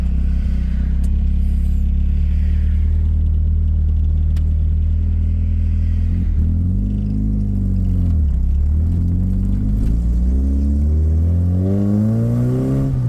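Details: 1984 Dodge Omni GLH after fuel-system work to cure a lean knock: the small petrol engine pulls hard through the gears, revving to almost 6,000 rpm with no pinging. The usual lean knock under throttle seems gone.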